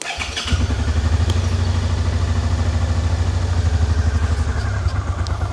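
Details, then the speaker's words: 2011 Suzuki SFV650 Gladius after cleaning a wet, fouled front spark plug: uneven lumpy low burble that sags, runs briefly then cuts out as soon as throttle is opened, not idling; owner suspects old fuel, plans fresh fuel. "Okay, that time it actually did run a little bit more. I managed to walk away from the bike before it cut out, but it does cut out as soon as you hit the throttle."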